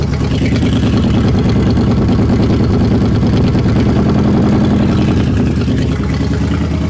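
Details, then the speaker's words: 1960 Chevrolet Impala V8 after carburetor fix stopped fuel dripping, cold and warming up: loud low idle with an uneven stumble about three pulses per second. It is sputtering and smoking a little, but surging is gone. "well she's sputtering a little bit but things are a lot better than they were yesterday I'll tell you that no more surging uh we got some spitter spatter"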